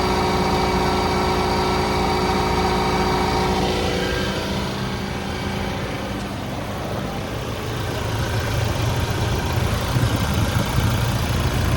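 Diesel idling with a loose, tinny rattle of about three beats a second riding over the clatter, coming from under the bay.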